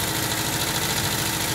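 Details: 1979 Volkswagen Type 2 with 2-liter fuel-injected flat-four engine at idle: light metallic clinking like glass bottles tapping over a steady idle; owner suspects the fan, refitted after cleaning and painting; cause unconfirmed.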